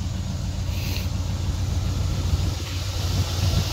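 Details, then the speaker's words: 1990 Dodge Ramcharger 2WD V8, pulled from a junkyard after sitting since about 2013, new battery: steady low rumble with even beat, no misses or knocks, some wind noise; idles smoothly, not smoking badly. "I mean she's idling like a [Music] dream"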